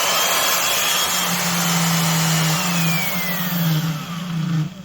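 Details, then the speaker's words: Craftsman (Skil-built) 12 A 1440 W variable-speed router, model 320.27683: steady buzzing hum with a rough, rattly edge fading as the motor spins down; bearings worn by vibration because there are no spring washers pretensioning them. "It's crazy, but you can destroy bearings in a matter of hours. It's particularly in a router, because if they don't have that tension on them, as they're using the bit, it's just racking, creating this vibration, racking the motor actually up and down, not just making brushes wear"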